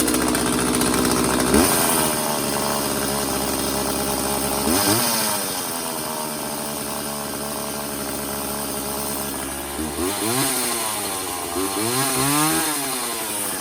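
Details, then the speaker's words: McCulloch Silver Eagle SE2016s two-stroke chainsaw, found in trash after sitting for years, freshly restarted with choke off and homemade oiled air filter: fast steady buzz off throttle that won't settle; high idle, carburetor idle adjustment needed. "Alright, starts, runs really well, but it is definitely got a high idle, so let's get back into this carburetor."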